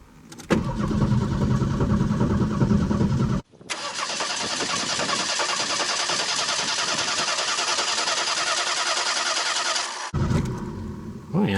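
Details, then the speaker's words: 1989 Ford Mustang 2.3 L inline-4, first start after about 9 years stored: steady even cranking that never fires because ignition was left disconnected after a filter change; builds oil pressure, owner suspects flooded cylinders. "I went and forgot to hook up the spark and stuff down there as you can see I had removed it to change the filter whoops probably flooded the cylinders"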